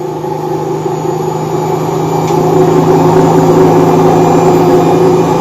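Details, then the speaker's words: Bosch Avantixx 8 kg washing machine, top cover open: loud steady jet-engine-like roaring hum building as the drum spins up; owner reported the machine jumping, but the noise shows a failed drum bearing, not the shock absorbers. "Il est désormais clair qu'il y a une défaillance du roulement et qu'il n'y a aucun problème avec l'amortisseur."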